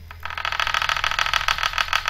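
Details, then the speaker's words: Hubsan Zino drone gimbal at power-on before calibration: rapid buzzing chatter, about ten pulses a second, over a steady low hum; gimbal vibrating and dancing around from lost calibration, needing the calibration tool. "you hear that see it vibrating dancing around so that's one of the issues that this will take care of"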